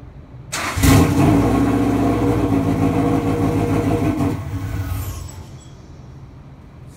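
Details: 914 project car with a WRX engine, first start: the starter churns under a second, then the engine catches cleanly and settles into a steady, even idle before shutting off; healthy first start.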